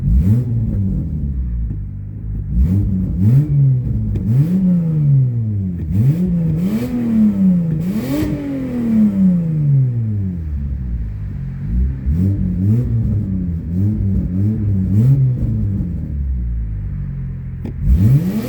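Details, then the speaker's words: Toyota Sienna with repeated throttle blips: loud, deep, raspy exhaust note caused by an exhaust leak. "So, a lot of people think that their BMW M3s with Acropic exhaust systems and straight pipe Ford Mustangs sound really good, but have you ever heard the sound of a Toyota Sienna with an exhaust leak?"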